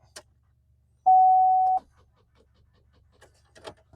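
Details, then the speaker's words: 2005 Pontiac Aztek Rally, sat about three years, on startup attempt: single clean mid-pitched chime over quiet cabin that keeps dinging nonstop; persistent warning chime, cause unconfirmed. "I'll leave you out there to watch because this will never stop dinging, bonging, dinging, donging, whatever you want to call"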